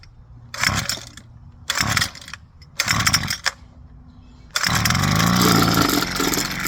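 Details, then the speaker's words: New Husqvarna 330LK string trimmer, cold first start with choke: three short pull-cord rasps, then catches and settles into a steady high buzzing idle; typical start for a new Husqvarna; normal start and idle. "That sequence, from what I've read, very normal. That's just how Husqvarnas, when they're new, how they start."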